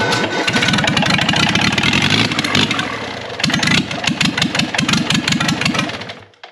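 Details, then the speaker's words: Older marine Perkins 4107 diesel with rebuilt injection pump, before fitting into a Gehl 4610 skid steer to replace a blown 4108: after hot-start priming, cranks then catches into uneven but strengthening firing, firing on at least several cylinders; rough but successful start. "that's it. I didn't want to run any longer than that. We have success. We got an engine that works."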